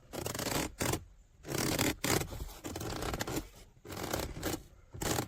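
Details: 2010 Lincoln Town Car door armrest: repeated dry creaking and rubbing about once a second each time it's pressed, trim pieces rubbing with no cushioning between them; cheap, poorly designed armrest.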